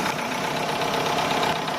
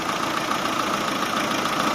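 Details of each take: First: Chevrolet Aveo with code P0507 and check engine light, idling a bit fast with a faint hiss: air is suspected to leak through the hose from the EGR to the throttle body. Plugging it nearly stalls the engine, and releasing it raises the idle. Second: Chevrolet Aveo with code P0507 and idle surging: holding the cracked EGR-to-throttle-body return pipe by hand, idle returns to an even, steady light hum with no hunting; normal idle, leak found there.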